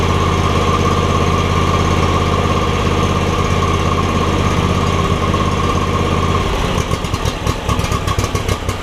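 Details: John Deere X300 mower with no spark and a suspected bad control module; a black wire was pulled to bypass it, start was a little sticky. Small single settles into a steady, even idle with no misses: normal idle.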